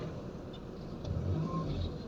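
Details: Honda Civic FD 1.8 at idle after replacing worn engine supports that caused vibration felt in the cabin: smooth, low engine hum with no knocking, rattling or heavy shaking; normal idle.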